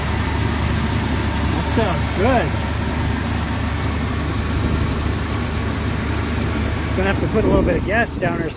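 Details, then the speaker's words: 1974 Chevy C30 wrecker, 350 V8, running again after sitting five years barely touched: deep steady idle holding an even lope amid outdoor noise; runs smoothly. "but she's running she is running guys five years she's been sitting five years i haven't barely touched her or nothing"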